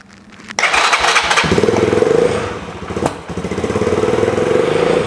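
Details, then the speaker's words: Kymco K-Pipe single after engine stripdown and rebuild, first start on choke with the baffle fitted: catches and settles into a quick, even patter, no knocks or rattles, much quieter with the baffle; runs fine. "I don't know how well that's coming out on the mic, but that's a hell of a lot quieter with that baffle in it. Sounds absolutely fine."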